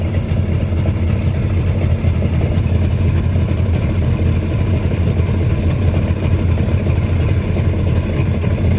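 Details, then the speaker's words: 1996 Tigershark jet ski, revived from non-running, idling from a cold start while cooling water line temperatures are monitored. A loud, deep, even idle with steady firing and no misses or knocks, warming cleanly: a normal idle. "So, I'm going to crank it. I'm just going to let it idle for a while."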